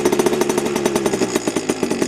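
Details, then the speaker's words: Heavily modified Yamaha PW80 two-stroke with FMF mods, idling around 2,300 rpm: crisp, even buzz picking up cleanly and revving quicker than stock, no misses or rattles; healthy free-revving. "quite quick to rev cuz the stop one takes a bit of going but um yeah better"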